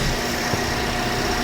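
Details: Toyota Vios petrol engine after belt tensioner fix: idles evenly and quietly with no squeal, rattle or chirp from the belt drive; noise had been from the tensioner, not alternator or water pump.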